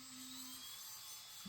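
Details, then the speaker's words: 1/14 scale RLAARLO/CROBOLL monster truck after brushless conversion with Hobbypower 3650 12T 3300KV motor, on the bench with receiver bound and throttle given: a clean steady electric whine of about half a second over fan hiss; motor spins freely, normal run. "you can hear the motor running. So um that's working."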